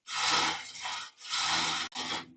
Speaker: You can You can hear the the vibration so I I don't have a a minute a steady rest for for this one. And for this slide so this piece is a little bit too big.